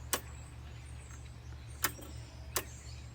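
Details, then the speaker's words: John Deere LX188 riding mower, engine off with key on, after fuel was added: three sharp clicks about a second apart over a low hum, said to be the carburetor fuel solenoid opening. The carburetor was not working properly, and the solenoid was confirmed as the fault. "You hear that click? That's supposedly the solenoid opening up."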